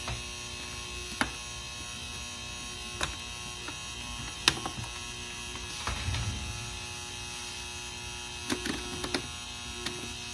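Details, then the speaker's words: Secondhand Rain Bird sprinkler controller just plugged into mains: steady high ringing hum with a few faint clicks, though the display still works; ringing hum on power-up, likely from the transformer but unconfirmed. "so I plugged it in it's making this ringing sound"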